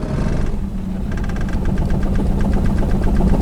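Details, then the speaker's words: Toyota with suspected blown engine: uneven, lumpy idle with a heavy knock about four times a second; it barely stays running; owner suspects rod knock and plans to pull the oil pan. "actually idling now but it really doesn't sound good so i don't know that doesn't sound too promising does it that i don't know if you guys can hear that on camera but it really does sound like a rod knock"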